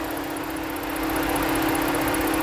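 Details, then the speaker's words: 2011 Ford Edge at idle: steady hum with a slight uneven lope. Intermittent cylinder 6 misfire; compression is good (150) and the injector pulse test points to the vehicle's computer (PCM) as the cause. "tiene el problema con cilindro número 6 y en un fallo a veces lo coge a veces se le va lo agarra"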